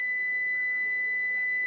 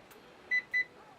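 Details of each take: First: Klixon thermal cutout, calibrated about 90 °C, heated with a lighter on a continuity tester: steady beep for about two seconds, then stops abruptly with a click as it trips open on overtemperature. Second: Dryer klixon temperature thermostat after manual reset by pushing a pointed object into its hole until it clicks, retested with a continuity meter: two short clear high beeps; thermostat conducts again and is working.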